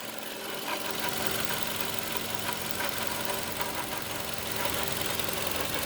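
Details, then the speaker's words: 2012 Toyota Camry petrol engine idling with a light, irregular rattle over a steady hum; noise reported from the right side of the engine, then said to come from the left side; owner thinks there is no real problem. "the engine sounds good but there is a rattling noise that's what i'm thinking there is no issues or problem with the car but i just hear that annoying"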